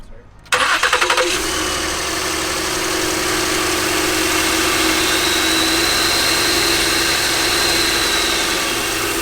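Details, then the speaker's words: Totaled, crash-damaged car with rags in the intercooler piping, motor mounts broken and the engine probably sitting about 5 inches low: cranks briefly, catches quickly and settles into a steady, even idle with a faint whistle; it starts and runs. "But I mean, it runs and starts."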